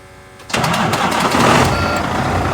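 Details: Volvo semi truck with a no-crank, no-start complaint, after fuse F21 was checked and the batteries read full at 12.8 V. After a brief crank the diesel fires within half a second and settles into a steady, even idle. Normal start.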